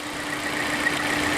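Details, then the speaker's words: 2015 Volvo V60 T5 2.0T idling, mic near the top of the crankcase: a thin steady high-pitched squeal that gets louder and stops when the oil cap is pulled. The belt was ruled out. The cause is crankcase pressure from a failed oil separator. "That leaves a couple pulley bearings in play, which are down here, but the sound is coming from higher up in the crankcase. And crankcase squeals can often be due to air pressure."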